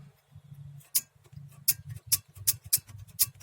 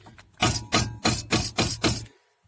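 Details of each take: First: Mazda 626 brake caliper, reassembled after guide repair: bright uneven metallic ticks as caliper is shaken, worn loose brake pad anti-rattle spring clips rattling against the bracket. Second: Brake caliper on a Mazda 626 shaken by hand after slide-pin hole repair (thread and superglue on the pin rubber) gives six short dull clunks; only slight play remains at the pad, much quieter than the original rattle.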